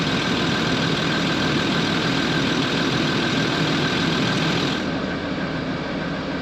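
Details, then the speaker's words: Land Rover Discovery 3/4 2.7L TDV6 diesel (chassis 7A000001 onwards) idling after fuel filter change and ignition priming; steady, even clatter with constant beat, no misses or hunting; runs fine with no leaks; normal idle. "So it runs. It runs fine.</b> <b>No problem getting fuel to the front."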